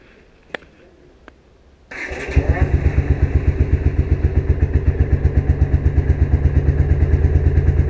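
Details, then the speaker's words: Vintage Honda CX500 twin after carburetor and ignition repairs starts after two faint clicks and settles into an even, steady idle thump; an intermittent popping, suspected vacuum leak, remains. "so I'm just going to fiddle with that for a bit so it's idling pretty nice actually right now"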